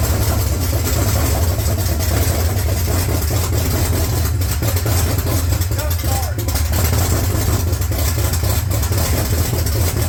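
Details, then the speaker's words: 1970 Dodge Challenger 340 engine with A904 transmission, freshly reassembled and reinstalled after a wreck: deep steady V8 idle, even low rumble, no ticking or knocking; normal idle. "I don't know it's going to start though sounds good huh"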